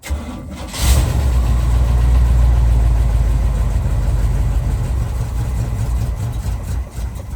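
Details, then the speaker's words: 1976 GMC C20 big block stored 30 years, started with fuel poured in the carb: cranks, catches and settles into a deep, slightly lumpy idle; rough running, carb needs rebuild and aftermarket electric fuel pump not working. "Woo! We got a runner. 30 years. And she barks right off, man. Another big block. Sure. This carb needs a rebuild."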